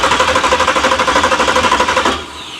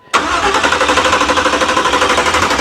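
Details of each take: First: 383 stroker V8 in a Monte Carlo SS at first start, after the starter had been only clicking: fast, even cranking at roughly eleven beats a second for two seconds, strong and steady; starter works. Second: 383 stroker Monte Carlo SS, first start attempt with the electric choke not yet hooked up: the starter cranks at about three compression beats a second for four seconds and never catches, with the carb bowls looking empty of fuel.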